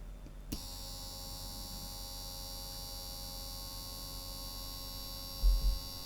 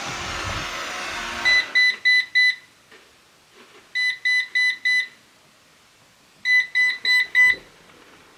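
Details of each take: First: Eufy Robovac 11 roller brush motor after a drop of oil, run at 12 volts drawing about 0.09 amp: smooth, steady high-pitched whir with even hum, no squeal or scraping; running normally. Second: Eufy Robovac 11 robot vacuum, several years old, brand-new battery: steady red light with groups of four sharp high beeps every two to three seconds; error code means roller brush stuck, and the roller is not turning.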